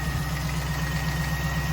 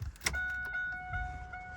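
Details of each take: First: 1998 Pontiac Trans Am LS1 V8 after fuel rail removal and injector cleaning: steady idle with a light regular knock on each firing pulse; owner suspects piston slap, unconfirmed; no worse than before. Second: 1998 Pontiac Trans Am LS1 after fuel rail removal and injector cleaning: key click and warning chimes, then a steady low hum for about two seconds that stops; normal fuel pump priming of a partly emptied system.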